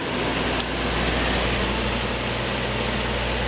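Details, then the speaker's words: Newly installed AC wall unit, tested after sliding into the wall sleeve and before refitting the cover; fan runs first before cooling kicks in; steady even whoosh and low hum with no rattles, running normally. "because initially the fan comes on and it might take a few minutes for it to actually start kicking in to the air."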